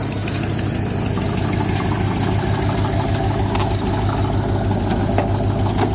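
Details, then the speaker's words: 1980 Camaro V8 idling after Fi-Tech fuel-injected carburetor install, exhaust leak still present; steady rumble with faint light tick from flexplate touching starter gear, harmless, not being fixed. "that sound is the flexplate touch in the starter gear so nothing important I can't fix but it's okay so I'm not even really gonna fix it it's a little noise"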